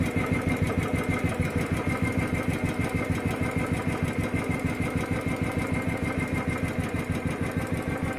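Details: Royal Enfield at idle: steady thump with an even sharp tick about three times a second; sounds like valve train clatter, possibly tappets.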